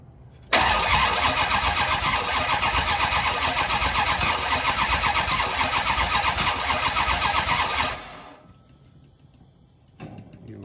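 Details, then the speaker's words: Dodge Charger rescued from the San Francisco hills: steady starter churn at about four beats a second for seven seconds, never fires; cranks but won't start, they try getting fuel up to it. Cause unconfirmed. "Hey, cranks? Didn't sound terrible. Of course, you didn't fire it. We can crank it for a second and get some fuel up in there."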